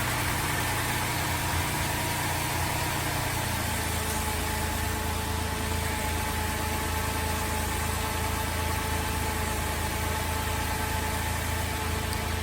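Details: VZ Adventra Alloytec V6 after replacing failed ignition coil, covers still off: steady even idle with smooth low hum, no stumble; running cleanly on all cylinders, misfire fixed.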